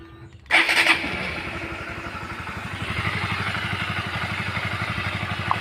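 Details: Honda CBR150 after cam chain tensioner cleaned, adjusted and refitted to cure a klutuk-klutuk knock: catches quickly, then settles into an even, steady single-cylinder idle with no knocking or chain clatter; healthy normal idle.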